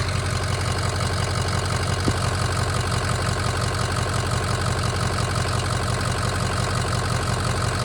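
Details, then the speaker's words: Ford 6.0 Powerstroke V8 diesel, first fire-up after rebuild, warming up at idle before a drive; steady, even diesel idle with a deep regular beat and no knocks or misses; normal idle. "I mean absolutely wonderful this sound it sound true drive here in a minute"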